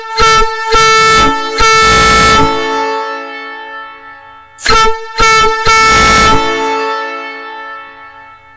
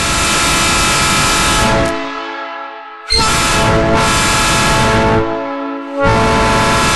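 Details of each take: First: Nathan Airchime ex-Union Pacific train horn before rebuild, shop air through rubber nozzle: two chords of short and long blasts, rough and uneven; poor output from internal corrosion and debris in the horn. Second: Genuine Nathan Airchime ex-Union Pacific train horn after rebuild with new double diaphragms: two long, loud, steady chord blasts, clean even tones, crisp cutoff; normal air horn chord.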